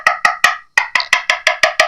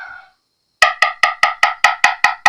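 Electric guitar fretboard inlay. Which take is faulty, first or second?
first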